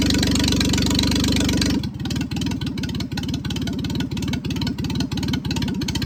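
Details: 1996 Geo Metro three-cylinder, 5-speed manual, first start after bleeding air from fuel line: holds briefly then drops into uneven, lumpy chug about three beats a second, won't idle off the gas; owner guesses missing idle air control.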